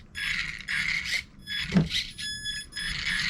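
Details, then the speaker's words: Traxxas RC car after wheel bearing upgrade from plastic: repeated short bursts of high electric whine rising and falling cleanly, no grinding. Normal servo and drivetrain operation. "so I did that and it did roll quite a bit easier so check it out wow I think that's I think that's a bit faster look how fun this thing is man"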